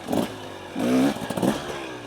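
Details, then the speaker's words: 2023 KTM 300XC TBI two-stroke off-road bike riding in the desert near idle without clutch: short low-speed burbles swell smoothly as it pulls cleanly from the bottom, no stumble or miss. "so we're almost idle you can hear it it pulls really really well right out the bottom and uh that's no clutch"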